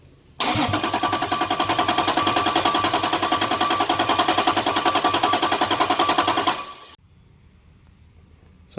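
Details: Toyota Cressida with 2JZ engine swap and LQ9 coils: even, brisk cranking about three and a half beats a second for six seconds, never catching; no fuel because an unconnected harness plug supplying injector power was missing, with coil power also missing.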